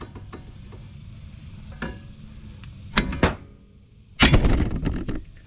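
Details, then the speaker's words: 2009 Ford Fusion tie rod replacement, joint rocked by hand with engine off: irregular sharp clicks and knocks from a loose, worn tie rod end ball joint. "you can hear how loose that ball joint is though hear that clicking sound"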